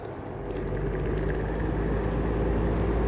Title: Heller style 2 exhaust fan with bad bearings